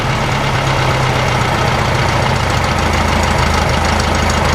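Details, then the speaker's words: 1956 VW Beetle air-cooled flat-four after re-timing the distributor and fixing a bad spark plug cap: low, steady, even idle with no hunting, showing no vacuum leak, though still running lean and not revving properly. "Yeah, there you go. A Volkswagen with a vacuum leak will not idle that low. It just won't, because that means the air's not going through the carburetor. In this case, there's clearly no vacuum leak."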